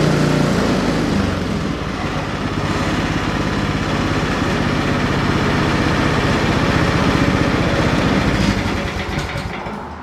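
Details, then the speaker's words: Ariens 30 EFI snow blower left sitting almost five months on half a tank of regular fuel with Sea Foam added: it starts on the first pull at the idle setting and settles to a steady, even idle with no misses. Normal idle. "If you notice, I started that on idle and started right off first pull."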